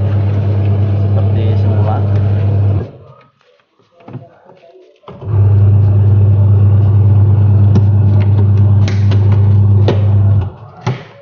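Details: 14 kg twin-tub washing machine wash motor after gearbox replacement (previously rough and weak-turning): smooth, even low hum that stops and restarts cleanly, no grinding or labouring; runs normally.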